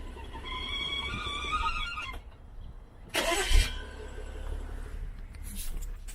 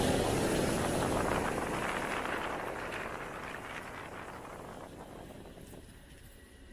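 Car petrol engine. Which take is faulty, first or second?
first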